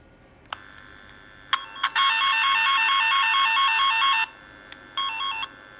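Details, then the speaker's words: Repaired F set twisted-pair tone tracer, after a loose connection was wrapped: clean warbling two-pitch tone held steady about two seconds then a short repeat, working properly. "yeah it's working all right see you later"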